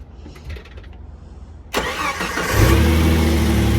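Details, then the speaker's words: Jeep starting after battery replacement and terminal tightening: brief crank, then it catches straight away and settles to a steady idle; starts right up, healthy start. "Starts right up."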